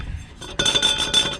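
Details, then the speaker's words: 6x6 Land Rover Perentie front end: bright metallic jingling in bursts as the front end moves; owner suspects the steering damper rather than the bushes or strut tops. "can you hear that rattle i think that's what that is i think it's the steering damper i don't think it's my bushes"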